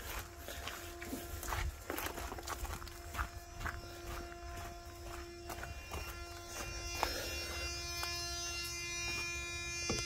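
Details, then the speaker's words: 1987 Freightliner FL86 cabover with a Big Cam Cummins, electrical problems in a mouse-infested truck: sharp, irregular starter solenoid clicks over a faint hum, and the starter never engages or turns over. "I hear the one on the starter not doing anything, and then I hear it clicking, but it's not engaging."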